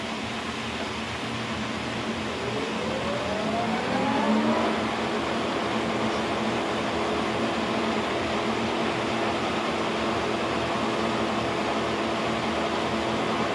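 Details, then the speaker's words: Kearney & Trecker mill freshly flushed and oiled, spindle run through gears: gear whine climbs then holds a steady even hum at 1,000 RPM, sounding healthy. "There's 1,000 RPM. It sounds good. I'm actually really happy about that."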